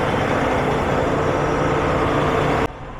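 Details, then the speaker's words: Farm diesel brought from cold storage, started in a heated shop with block heater, after earlier odd electrical faults with a battery charger: deep steady clatter at even idle, no warning lights or voltage issues; running normally. "No more warning lights or funky voltage stuff, so I'm just going to let this thing run for a while I do some other stuff in the shop."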